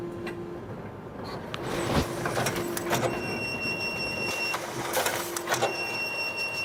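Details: Konica Minolta FS-527 finisher running with an abnormally loud constant rattling mechanical rumble, faint whining tones and scattered clacks; cause unknown.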